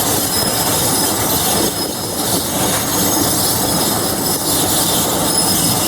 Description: The opposite of locomotive thrash ? Class 47 , 47077 , applying the brakes , with loth of brake and bogie squeal , just outside of Levisham station on the North Yorkshire Moors Railway ..